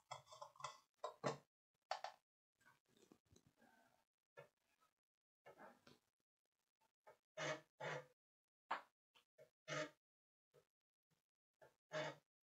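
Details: Commodore 1011 external 3.5-inch Amiga floppy drive from 1990, loading a test program from Workbench: short bursts of head-stepping buzz and clicks with quiet gaps. It is seeking and reading normally while booting.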